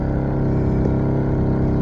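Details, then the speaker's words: 2008 Ford Focus 2.0L started in driveway: rough droning idle with buzzing dash rattle from engine vibration; worn engine mounts suspected, all three (left, right, rear) to be replaced. "Okay, so I'm gonna crank this up so y'all can hear and feel, well, you can't feel the vibration, but hear the vibration. Hopefully you can hear that. There we go. There's the dash going off."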